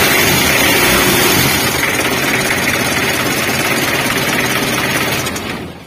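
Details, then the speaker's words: Mitsubishi L300 diesel after a worn timing belt, which caused a strange engine noise, and a cracked fan belt were replaced: even, steady diesel clatter at idle with no slapping, squeal or irregular knock; normal idle. "Untuk penyakitnya sudah sembuh ya, karena untuk posisi timing bellnya juga sudah kami ganti baru."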